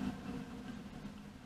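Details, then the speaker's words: Boxford Model C or CSB lathe motor, off its mount with a visibly wobbly shaft, running with a steady low hum and a rough, uneven drone; owner suspects bad bearings, a bent shaft or the pulley. "sounds like the bearings are a bit problematic so I'm gonna take this pulley off get an indicator on it and find if I can see whether it's the shaft itself or whether it's this pulley it's been and then take a look at the bearings"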